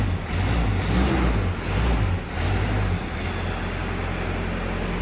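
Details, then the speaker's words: 1972 Range Rover Classic Suffix A, first start after recommissioning, cold and smoky: it picks up cleanly on quick throttle blips and settles to a steady low rumble with no misses. A knocking is thought to be the exhaust banging; otherwise healthy. "fantastic sounds healthy it's really good"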